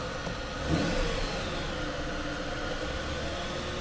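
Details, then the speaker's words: 1996 Mercedes S420 V8 with a huge vacuum leak; a throttle issue is also possible. A quick rev blip, then it drops back to a wavering idle that won't settle. Unstable idle from vacuum leak. "it accelerates but as you can see the idle is not steady it's not stable we have huge vacuum leak"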